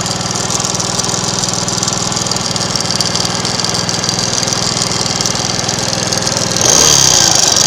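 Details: Alpha 110cc moped single-cylinder at fast idle with a rapid, fairly regular tapping about three per second; engine knock of unknown cause.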